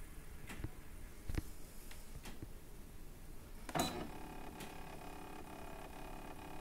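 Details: Desktop 3D printer (PrintrBot Simple Metal), a day after configuration, gives irregular sharp ticks and creaks over a soft motor hum, roughly one every couple of seconds; abnormal ticking noise.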